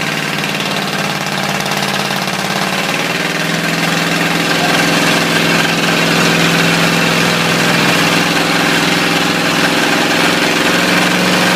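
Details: Ford 351W V8 with a spun bearing, abused until it dies: heavy, regular knocking about three to four a second over a rough idle; coolant spraying and burning on top; rod knock.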